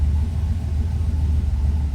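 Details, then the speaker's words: Turbo Dodge Dakota, first start on new Holley EFI ECU, coolant not yet warm; steady low rumble held well above normal idle with no hunting. Cold enrichment keeps idle too fast; owner plans to trim fuel from base map. "okay so let's see so we're still idling really fast that's a lot"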